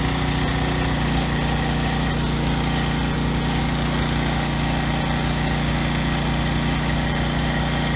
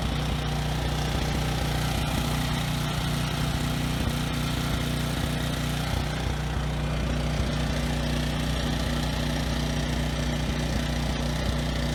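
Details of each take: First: Briggs and Stratton generator engine running with no load after carburetor cleaning, governor tab bent to raise rpm toward 61 Hz; deep, steady, even thrum with no stutter or hunting. The earlier no-load stutter is resolved, normal running. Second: Briggs and Stratton generator, no load, outdoors in wind over the mic: low, steady drone with an occasional stutter; runs slightly rough with low RPM. Owner plans a carb cleaning and a speed adjustment.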